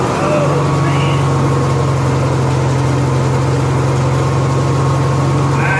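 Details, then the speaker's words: Honda EXW171S welder generator, sat in a barn over 5 years, run indoors after choke warm-up: steady, even low hum at constant speed with no misses, knocks or rattles; normal idle, healthy. "he started at my run yesterday I know it's weird building this on a cell myself and you run a generator inside it's real quiet we warmed up in the choke code throttle mode"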